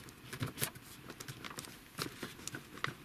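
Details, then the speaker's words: Land Rover Discovery Sport cabin: light irregular plastic clicks and taps as the flimsy interior trim panel is pushed, worse on one side. The owner finds weak trim causes a slight rattling while driving. "This Discovery Sport trims are very weak. Then it's more apparent on that side than this side. So you do get some kind of noise in these cars. It's like a slight rattling."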